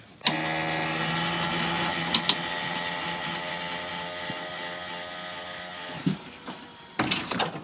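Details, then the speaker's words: Wheelchair van lift hydraulic pump, low fluid after a broken hose, run raising the lift fully; steady buzzing motor hum for about six seconds then stops, pump clearly starved for fluid. "All right. I don't know if you could hear the pump or not, but it was definitely starved for fluid."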